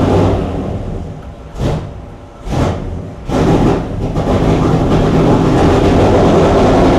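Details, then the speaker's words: Chrysler 440 Six Pack (triple two-barrel carbs, freshly rebuilt) V8 at lumpy, choppy fast idle with uneven pulses before warm-up; water-bottle exhaust check finds two cold pipes each side, four cylinders not firing, running rich; carb cause unconfirmed. "Nick uses a water bottle to check that the engine is firing on all eight cylinders he finds two cold pipes on the passenger side and two more on the drivers four cylinders are not working"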